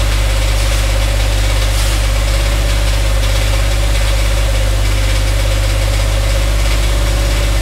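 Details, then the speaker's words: Dodge Dakota 5.9L 360 Magnum V8, truck raised, idling: regular low knock about three per second under engine note, loudest spots on transmission; unclear whether engine bottom end or transmission, converter bolts to be removed to isolate. "all right so you guys heard that noise coming when we turn over the engine so since it's hard to determine whether it's coming from the engine or the transmission"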